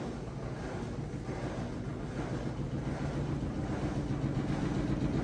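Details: Samsung front-load washer with a failing rear drum bearing: deep, steady train-like rumble as the drum turns. The drum scrapes and shreds the front rubber gasket, and it rattles in final spin.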